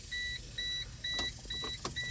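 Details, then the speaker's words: 1996 Geo Metro three-cylinder 5-speed manual, battery just hooked up at key-on: about five high double-tone beeps roughly every half second plus odd clicks; warning chime, cause unknown, fuel pump not heard. "We've got power hooked up. We got a beep. Weird noises."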